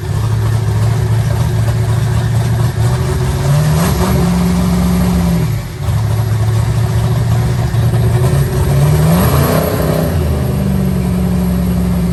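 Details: Eagle Talon rewired and converted from Pro EFI to Holley: idles evenly, blips up twice and settles back smoothly without misses or stumbles, running cleanly on all cylinders.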